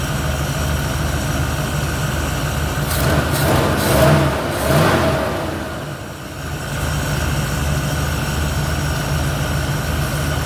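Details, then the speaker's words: 1971 Ford Torino, rebuilt 302 V8 with C4, warm, after slight carburetor idle mixture tweak (was a little lean): steady even idle, blips up cleanly and drops straight back without stumble or miss; fires right off, revs and idles clean. "It fires right off. It revs clean. It idles clean."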